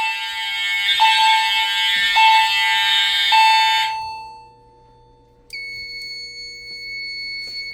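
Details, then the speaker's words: EST fire alarm system test (pre-Integrity panel with chime): loud buzzy horn blasts about once a second, then a clear two-note chime rings through over the horn strobes; normal horn and chime operation. "I love the way that the chime sounds, and the fact that it's loud enough that you can hear it even with all the horn strobes running."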